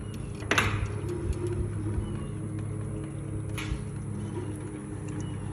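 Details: Aermotor windmill: two heavy clunks about three seconds apart over a low rumble; knocking somewhere in the mechanism, cause unknown.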